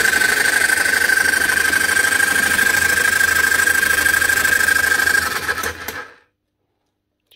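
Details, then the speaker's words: Old made-in-USA Bosch GSH 27 demolition breaker hammer in for repair: motor whirs steadily with a light rattle, tool jumps but no blows land; dried-up grease no longer seals the piston, fixed by washing out and regreasing. "jumping but she's not hammering nothing right now"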